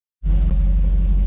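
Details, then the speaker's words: 1998 Chevy Silverado K1500 after fuel pump replacement, the old pump having made a crazy noise: smooth, steady low engine rumble with no high-pitched whine. Truck is much quieter and runs very well; normal fuel pump operation. "fantastic now. No whine, no nothing."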